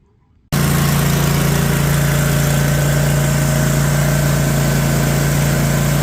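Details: Cub Cadet mower engine after replacing the starter solenoid (starter, oil change and carb clean also done): it catches and runs at a steady, even drone with a strong low hum.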